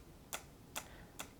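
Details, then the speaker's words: ThinkPad X61 Tablet, original Lenovo battery: three light, sharp clicks roughly half a second apart as the battery pack moves; something loose inside the battery, owner unsure whether normal, cause unknown. "Something I noticed is that when the battery moves around, it makes this clicking noise."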